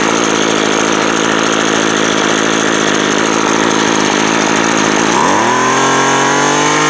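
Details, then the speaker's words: Craftsman 24cc 17-inch string trimmer after clearing the fuel-wet cylinder, fuel lines still to be replaced: small two-stroke buzzes at steady idle, then revs up cleanly with no stumbling or misfire; running normally. "you know there you go everything works like I should"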